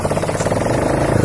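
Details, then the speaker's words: Hero Passion Pro motorcycle after a full engine rebuild, run without the exhaust pipe fitted: rapid, even single-cylinder beat with open exhaust bark and light valve ticking; runs smoothly. "अब चलिए दोस्तों हमारा जो आप जो sound सुन रहे हैं bike की वो दोस्तों बिना एग्जॉस्ट पाइप लगाए हुए, ठीक है।"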